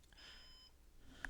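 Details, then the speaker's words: Synology NAS after deactivating drive 4, which had thrown errors, to replace it with a 3 TB drive: faint half-second high warning beep in a quiet room continues after pressing OK and removing the drive; degraded-volume warning. "Oh, okay. I hit OK, and it's still beeping."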